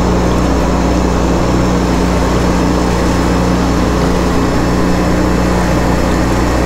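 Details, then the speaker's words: 2009 Sea-Doo Speedster 150 after intercooler, oil and filter replacement, during boil-out procedure, engine at 171° with zero faults: steady even low drone, no misses, knocks or surging; normal running at operating temperature. "We're at 171° for the engine and still zero faults. So, we're just going to keep on monitoring it."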